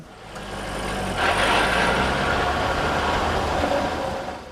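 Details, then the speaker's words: 2003 Chevrolet Corvette C5 50th Anniversary, manual transmission: low, uneven drivetrain drone swells on pulling away then fades; GM owner video calls it an inherent trait of the transmission layout, normal. "Aliás, o vídeo para proprietários fornecido pela GM aborda outro ruído estranho que o meu às vezes faz ao arrancar. O barulho é mais ou menos assim..."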